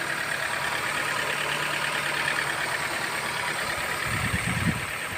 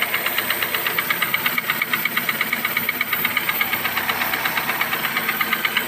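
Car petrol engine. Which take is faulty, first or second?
second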